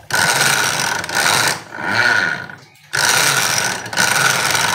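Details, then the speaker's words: Carbureted Honda Beat scooter, neglected, CVT cover removed, rear wheel spun: rough, gritty grinding surging about once a second with revs; the CVT pulley shaft is very loose and gearbox bearings dry and broken. "bisa melakukan pengecekan lebih dalam untuk suara kasar pada motor ini Terdengar sangat kasar ya teman-teman"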